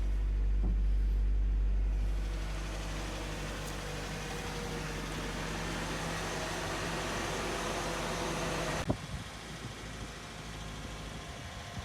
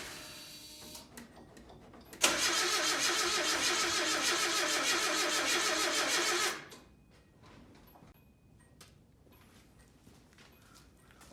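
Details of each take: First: 1987 Nissan D21 hardbody four-cylinder with 53,000 miles, sat 30 years with seized motor, after tapping the stuck TBI throttle free: settles into a steady, even low idle with no knock or miss. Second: 1987 Nissan D21 hardbody, 53,000 miles, seized engine after 30 years sitting, new plugs, 30-year-old gas: loud even cranking about 3.5 beats per second for four seconds then quits; struggles to catch, later ran after tapping TBI.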